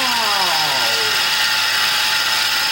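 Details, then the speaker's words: 2004 Toyota Tacoma SR5 3.4L V6 5VZ-FE, engine running, stethoscope on the AC compressor belt tensioner pulley bolt; harsh steady very loud grinding rasp, first suspected water pump. Tensioner pulley bad. "This compressor, it's an AC compressor belt tensioner pulley, must be completely shot because the noise is audibly coming from here."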